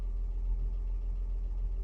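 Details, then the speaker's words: 1957 Chevy 3100 truck, a former farm truck that sat as a yard ornament for years, now revived with good oil pressure: deep, low, even idle pulse with no ticking or knocking; settled, healthy idle. "but uh she running good good oil pressure"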